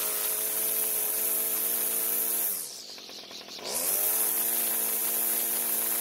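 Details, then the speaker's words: Homelite string trimmer two-stroke, restarted without choke after flooding: crisp buzz that dips briefly, then a clean, even wide-open-throttle scream; it idles and runs well with no carb adjustment needed, and sounds possibly ported rather than stock. "The good news is that it started and ran very well. In fact, I'm happy enough with the way the engine idled and ran at wide open throttle that I don't feel the need to adjust the carb."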